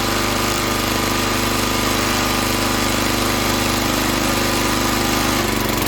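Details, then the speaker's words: Log splitter engine that stalled under hydraulic pressure, after opening the valve underneath to one and a half turns out: rough, lumpy low thumping, speed sagging and bogging under load; carburetor not yet cleaned. "all right so i have the valve underneath open up to two full turns out and it's much better but it still struggles"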